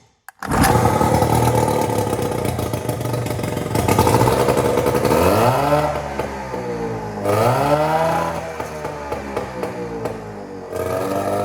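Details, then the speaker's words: Small outboard on a 1972 14 ft Alumacraft row boat, carburetor with full gasket rebuild kit and new fuel pump piece: fires straight up, revs rise and fall cleanly with even firing, no misses; normal healthy running. "so there you guys have it this thing is a ripper all good to go so i'm gonna have to go out for round two on the lake and this thing sounds like it's running really good"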